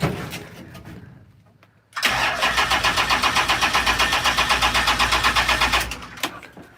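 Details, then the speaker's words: Unmuffled engine with unfamiliar owner wiring, in park; steady rhythmic cranking about four turns a second for four seconds, never firing: cranks but won't start. "he parked it right here where it sits but it doesn't want to run right now"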